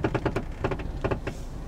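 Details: 2009 Toyota Corolla, 189k miles: sharp clunks and knocks in uneven clusters from the front suspension, which the owner first suspected was a CV joint (replaced a year earlier); traced to a worn sway bar link, replaced with Delphi TC1455.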